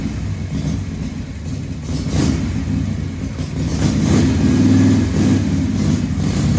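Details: 1978 Harley-Davidson Shovelhead FXS Lowrider after cleaning the carburetor's accelerator pump and fine-tuning the carb, test ride in 1st–2nd gear: loose, lumpy twin beat climbing cleanly on throttle, no stumble, popping or hesitation; running pretty good.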